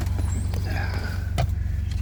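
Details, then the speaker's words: Subaru BRZ with rod knock, warm at operating temperature after Lucas heavy-duty oil stabilizer: even, steady low idle and revving with no knock; thickened oil only masks the knock, engine replacement still expected. "the engines are up to operating temperature and and and it's not knocking it's uh reving pretty [Music] good"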